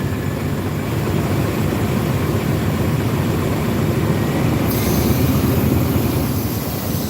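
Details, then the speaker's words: Chevy Silverado running after the disconnected brake booster hose vacuum leak is plugged: steady, even low engine rumble with no stumble or misfire. "So, if we were to plug it up right here, you can hear it. See, now she's running at the top."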